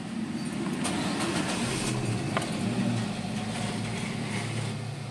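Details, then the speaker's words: Nissan Grand Livina that had a misfire, high fuel use and MIL on, after ignition coil repair (coil suspected of arcing to the engine block): heard at the exhaust, it catches and revs evenly with no stumble or sputter, firing cleanly. "sekarang sudah halus lagi enggak ada suara pincang berebet enggak ada ya"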